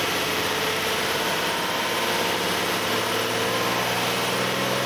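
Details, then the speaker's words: 2008 Nissan Elgrand ME51, 2.5 L, about 90,000 km: with A/C on and the compressor engaged, steady whirring tones from around 2000–2500 rpm. The noise has been present about three years and is absent when the compressor isn't working. "エアコンをオンにすると、2500回転あたりから変な音がします。"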